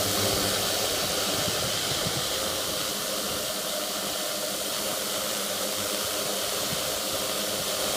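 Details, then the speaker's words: 450-size quadcopter with new carbon fiber propellers, front left motor, low throttle then raised: raspy, gritty, scratchy frictiony sound as the motor spins up, unlike the silent other motors. Grinding motor noise. "Almost like a frictiony, grindy type sound. Try and bring throttle up a bit."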